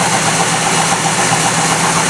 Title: Rod Knock :'(